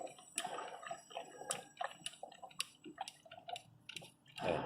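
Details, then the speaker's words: 2012 Mini Cooper, about 150,000 miles, misfire codes P0303/P0304 and too much engine oil, spark plugs changed, engine hot: irregular gurgles and pops of bubbles in the coolant, burned head gasket, low compression; cylinder head gasket to be replaced. "Yes, as you can see, we changed the spark plugs, we started the car when the car got hot. bubbles started to emerge as we"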